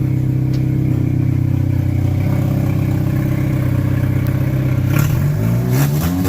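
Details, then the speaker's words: Race car running again after floor, firewall, cage plates, brakes and fuel cell work, lubricant burning off the exhaust: strong, even exhaust note with clean firing, then crisp throttle blips; normal revving, running really good. "well what do you think Dennis think she's running really good"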